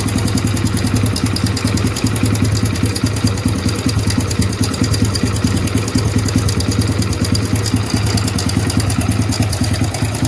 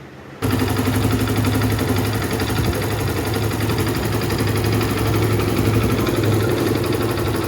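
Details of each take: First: Hero Splendor BS6 motorcycle, 2023 model, idling: loud, busy clatter and rapid ticking over the exhaust thump from the timing chain; long unserviced, almost no engine oil drained. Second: 2023 Hero Splendor BS6 motorcycle after timing chain reset to the T mark: small single-cylinder engine idles evenly with a steady low thrum, now silent, no ticking or rattle.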